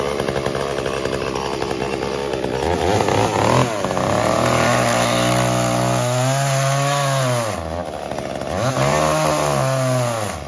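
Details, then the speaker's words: Echo CS-345 chainsaw cutting wood: screams high then pitch sags and bogs as chain bites; carburetor high-speed mixture too lean, fixed by turning H screw 1/8 turn counterclockwise to richen, idle T screw lowered slightly. "so we can hear there it's starting to bog down really when you start to get the saw that chain right into the wood okay so what i think is happening is that this saw is set slightly to lean"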